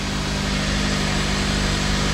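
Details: Honda S2000 after replacing the timing chain tensioner with a Ballade unit, first start: steady, even idle with a smooth low drone and no start-up rattle or ticking from the timing chain area; healthy engine.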